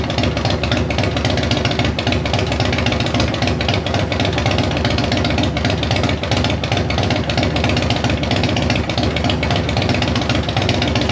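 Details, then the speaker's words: 1999 Yamaha Road Star 1600 V-twin warming up on a 40°F day, after fixing a vacuum leak that caused lean popping and rough idle. Even, steady lope with no popping or misses; idle sounds clean and healthy. "calm down jop off sounds so much better now that it doesn't have a vacuum leak"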